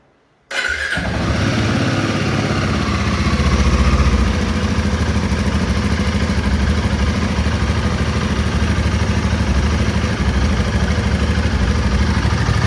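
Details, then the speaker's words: Brand-new Royal Enfield Himalayan 450 motorcycle cold start: catches instantly and settles into a steady, even idle thump with no ticking or rattle; cold starts fine, ticking noise owner hears only appears at low revs once warm. "Sounds great. Sounds superb. Cold starts are fantastic."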